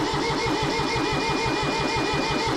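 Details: Kubota B6100 tractor, three-cylinder diesel, long non-running, injector lines removed: steady starter cranking at an even pulse for nearly three seconds that never catches; owner suspects an injector problem.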